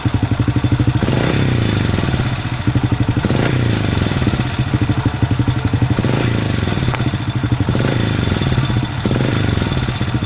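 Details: Supra underbone (bebek) motorcycle that would not start, now running after fix: single-cylinder idle with steady putter and slight rise and fall, settled and clean; normal idle.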